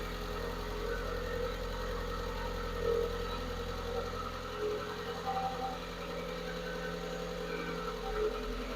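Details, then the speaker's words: Manual-swapped VW Mk4 after new coil packs and a battery reset, warming up at idle: faint light ticking over a steady hum, lifter noise that went away after a few seconds of revving. "it actually sounds really good so after revving it up for a few minutes or just a few seconds uh the lifter noise went away"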